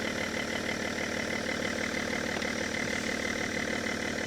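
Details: Car started with Lokithor JTC4250 jump starter, voltage rising from about 12 to 13 V; compressor audible, coolant level warning. Steady even idle, about three pulses a second, no knocks or misses: normal idle.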